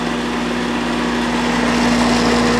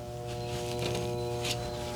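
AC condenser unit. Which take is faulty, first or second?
second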